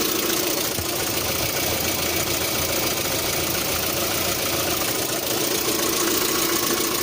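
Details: 1.6 8-valve engine with a knock at idle, sometimes also when giving throttle at start: a sharp, slightly uneven tapping of about two hundred a minute over the idle; cause unknown.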